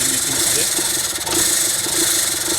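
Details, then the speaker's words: VW-group Seat petrol engine at idle, shaking violently and near stalling: lumpy, irregular beats. Rough idle not from ignition or injectors but an air leak from a torn-off intake O-ring, caused by earlier work. "Aracımızın motoru adeta yerinden çıkacak gibi sallanıyor. Çalışma düzensizliğindeki sese bakın."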